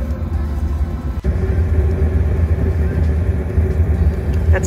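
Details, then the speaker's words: RV propane furnace after replacing the dry-rotted, cracked propane hoses and regulator and Teflon-taping the fitting: a soft whoosh at spark and light-off settles into a steady, even low roar with no popping; the burner is heating properly. "i can hear that cycled on just go outside and listen oh whoosh we have spark we have heat"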